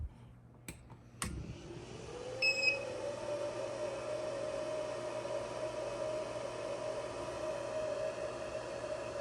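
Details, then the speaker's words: XTZL3D S1 3D printer, stock fan: after a couple of clicks the fan spins up to a steady, fairly loud whirring hum that stays constant; the stock fan is noisy. "I'm going to let you guys listen to the fan here, and then I'm gonna shut it off."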